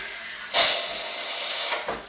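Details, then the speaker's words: Bosch TES50129RW bean-to-cup coffee machine steam wand after heat-up, ready light on; sharp steady hiss about a second, cutting off cleanly, strong even jet; normal steam operation. "so at the moment you can hear it just start to heat the water up now the lights come on so what you do you just pull it out and then you get your buffer"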